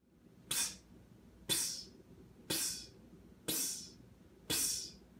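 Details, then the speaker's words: Bar gun beverage dispensing system: sharp hissing spits about once a second over quiet background, each fading quickly; leak at a pump. "it's a leak it's a faulty pump or a leak at a pump that is causing your solar system not to work correctly"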